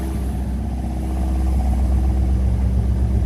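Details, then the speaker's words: 1952 Singer 4AD Roadster with a B18 engine, just started after fuel pump and accelerator-pump priming: steady, even low rumble with a smooth regular beat on all four cylinders, no knocks or misses; healthy idle, with 40 psi oil pressure. "Go ahead and give it a crank. Running all four."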